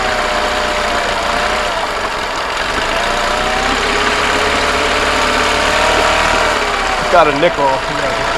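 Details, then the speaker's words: $20 2005 Honda 20 hp long-shaft outboard on a fuel tank, with dirty oil, running with splashing water. A steady, even idle without stumbling or dying; it ran about 10 minutes, missing its stop button. "well it's been running for like 10 minutes hasn't shut off but it's missing the stop button"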